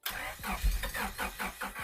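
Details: Honda Civic EG hatch, first start attempt after sitting with old fuel treated: starter turns the engine about four times a second, cranking without catching. Cause not confirmed.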